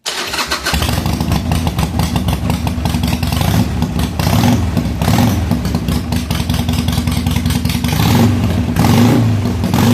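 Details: 2007 Harley-Davidson Sportster 883 Low, reassembled and under a fuel pressure test: cranks briefly, catches, then a steady lumpy V-twin beat with clean blips. It runs well with fuel pressure around 60 psi (spec 55 to 62).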